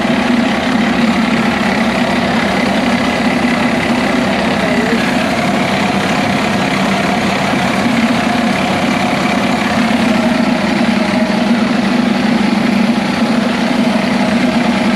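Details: DT466 diesel in M36A2 2.5-ton truck, restarted after bleeding air from the fuel lines; steady diesel clatter at an even idle, no stumbling or surging, running smoothly.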